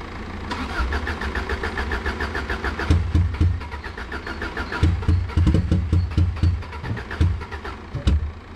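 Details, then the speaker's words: Subaru Impreza that had been sitting, now struggling to start: rough lumpy idle with uneven chuffs and stumbles, big misfire on at least one cylinder; owner suspects fuel pump failure, no fuel leak seen, cause unconfirmed. "let's go up got big misfire"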